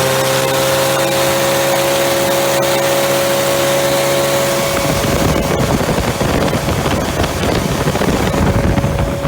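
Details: Freshly rebuilt Triumph Spitfire 1500 on engine stand, head shaved to about 9.5:1, .270 cam, run 45 minutes; idle about 800 rpm with fuel pump clicking, oil about 60 psi, temperature about 190: steady idle then clean strong rev, no knocks; normal.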